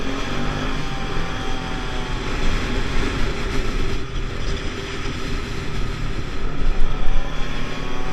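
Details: Pulse Force 50cc two-stroke road test after fuel-starvation fix, GoPro on bike, 14-stone rider, about 37 mph. Buzz pulling steadily with rising pitch, no stumbles or bogging, under heavy wind rumble; normal under load.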